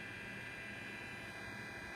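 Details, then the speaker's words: Jambox Bluetooth speaker, opened and upside down, no aux cable, mic near speaker: steady high whine over low hum and hiss; aux-in jack's two detect contacts not touching, so it stays in aux mode and Bluetooth fails. "uh it's still just whining in some interference but you know this is really going to be really tough to see"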